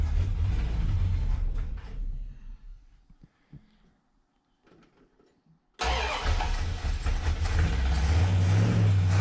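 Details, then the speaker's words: 1965 Dodge Coronet with an LA 360 swapped in for a 318 Poly and a rebuilt carburetor, first start after the install: long cranking to pump fuel into the carb, a pause, then the V8 catches into a slightly lumpy but steady idle, in neutral with the rear wheels spinning. Runs fine. "I might need to idle up a little bit and the rear wheels are spinning because it's a neutral so she lives"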